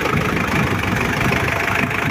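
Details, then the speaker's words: Mitsubishi L200 Triton diesel just started, still cold, heavy starter, blue-white smoke, worn injectors suspected: loud, uneven, lumpy, clattery idle with no smooth rhythm. "Nah itu asapnya dan suaranya juga pincang"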